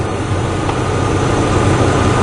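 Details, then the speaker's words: 2002 Ford Expedition XLT 5.4L V8 with a rough idle complaint: deep, uneven idle with a lumpy, unsteady low beat and a slight exhaust leak audible; idling rough, with hesitation on throttle, cause not yet found. "i hear a little bit of an exhaust leak and it is idling rough yeah it is definitely idling rough"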